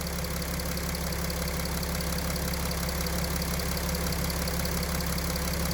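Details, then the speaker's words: Mercedes OM642 diesel at idle: after restart, when lift-pump feed pressure changes (earlier it dropped to 2 bar or below), a soft regular rustling knock near two per second starts in the high-pressure fuel pump drive, unrelated to crank speed; fuel pump drive knock. "Все. Давление подкачки изменилось. И начался шелест топливного насоса. Именно в приводе топливного насоса."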